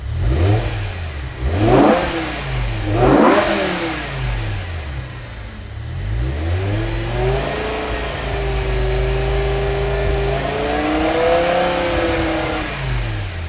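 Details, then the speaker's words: Revived E60 BMW M5, S85 V10, 6-speed manual, near full operating temperature: a few revs, then a steady mid-pitch power steering pump whine over the idle that eases off as it warms; no warning lights. "Just the stupid power steering pump. Finally quieting down."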